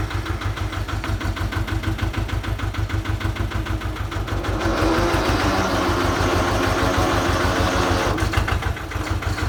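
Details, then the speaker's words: Amida Benford 32D site dumper, two-cylinder Lister diesel, Newage PRM 3-speed transmission, after changing all three fluids: steady chug, then whirring gear mesh noise rising while driving forward under load; not supposed to be there, cause unconfirmed. "listening for that noise the grinding not the grinding but the gear mesh noise as I'm driving forward under load it's not supposed to be there"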